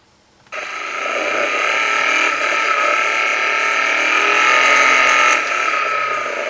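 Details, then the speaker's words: Engine knock (detonation) heard through a knock sensor on a Phormula KS-3 knock analyser: hissy metallic engine noise with the classic faint rattling in the background, reading a value of 93. "at that point it's the the classic kind of rattling noise in the background that you can hear"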